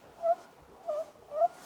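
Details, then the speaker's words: Tesla Model 3 cabin: three short thin squeaks, one with each steering movement; common steering column squeak, sometimes fixed with lubricant, otherwise needs inspection. "there's a slight squeak in the steering can sometimes be fixed just with a little bit of lubricant down here but if it persists and it will need to be looked at"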